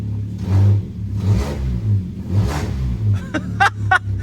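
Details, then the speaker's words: Crash-damaged car with 57,132 on the odometer, revved on a jump pack: loud, rasping surges with a deep chuffing edge, sounding V8-like; a blowing exhaust, owner suspects the rear back box; not confirmed. "Um the other thing as well with this car I've noticed is that we have got a blowing exhaust. Somewhere on this exhaust system we've got a a blow."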